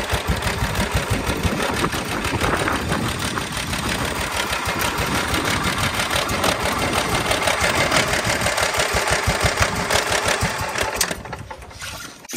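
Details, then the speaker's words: Cub Cadet HDS 2135 riding mower after carburetor rebuild and cleaning (previously hard starting, needed spray to start): steady, even chugging with no misses or knocks; runs fine but idle speed sits a little slow, may need turning up slightly. "The idle is a little bit on the slow side, so I might have to turn that up just a hair."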